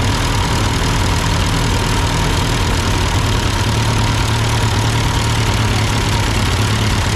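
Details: Ford 8N tractor that sputtered uphill with cheap replacement carburetor, after carburetor adjustment, idling: steady, even low idle with smooth firing beat and no misses or knocks; running cleanly.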